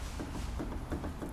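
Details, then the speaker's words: Volvo XC90 suspension inspection for a knock complaint; dull low knocks about three times a second as the suspension is worked by hand, from worn front stabilizer links on both left and right that need replacing. "теперь стойки стабилизатора"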